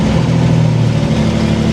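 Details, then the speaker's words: 1964 Chevrolet Corvair barn find, air-cooled flat-six idling, no brakes, clutch smooth: steady low engine hum as reverse is selected, no clash or grinding from the gearbox; reverse engages cleanly. "Let's try reverse. No grinding of the gears."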